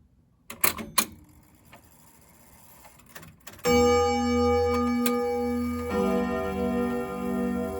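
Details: 1927 Junghans German grandfather clock after repair: a few light knocks, then clear, even ringing chime and strike hammers over a steady tick-tock; working properly.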